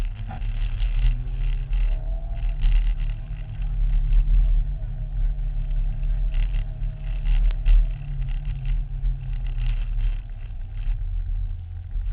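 Deep low rumble swells and sags every second or two instead of holding steady; the engine runs unevenly, cause not yet pinned down.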